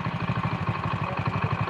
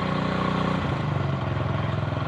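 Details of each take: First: Honda Win single, idle turned down below 1500 rpm: slow, lumpy knocking beat; idle set too low, and it smooths when raised back to 1500 rpm. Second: Honda Win 100cc single after engine rebuild: thump revs up then settles to a steady, slightly lumpy beat with no heavy knock; acceptable running, not perfectly smooth.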